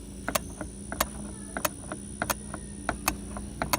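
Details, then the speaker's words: Zero-turn mower: sharp, crisp clicks about every two-thirds of a second as the seat pressure safety switch is pressed by thumb and released; normal switch that kills the engine if the operator stands up. "you hear that clicking so that is me pushing my thumb in the middle of the seat if you stand up off the seat of this thing when it's running that pressure switch um opens and it will kill the engine"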